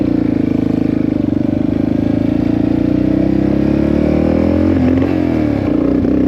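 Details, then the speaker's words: 1984 Yamaha XT600 single-cylinder, carburetor with undersized jets (bike came from Colorado, high elevation): ragged, uneven revving breaking up at the top, with sharp pops as soon as the throttle closes; lean misfire with deceleration popping, owner suspects the main jet. "As soon as you let off the throttle, she pops. Hear that? Do it again. All right, so I suspect it's lean."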